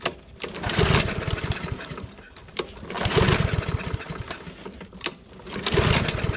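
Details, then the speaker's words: Husqvarna AWD mower, Briggs & Stratton 625EX, pulled from landfill, first start on a splash of gas, auto choke: surging bursts about every 2.5 seconds, revving and sagging unevenly; rough first start, owner suspects carb issue or bowl just filling. "may be dealing with some carb issues. Might have just been taking a minute to fill up the bowl."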